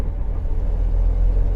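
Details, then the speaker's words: Mercedes-Benz 300 SL Gullwing, in fourth gear at about 18 mph, very low revs, light throttle: deep smooth rumble pulling steadily, no coughing, spluttering or hesitation; healthy low-rpm pulling. "and the engine is just very happy it's just sat there no coughing or spluttering um no sort of hesitation or fluffiness is just pulling and just gently it's off"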